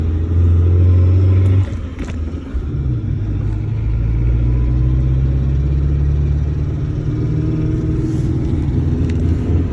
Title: Strange noise suzuki sidekick both hubs off only transfer case is on 4H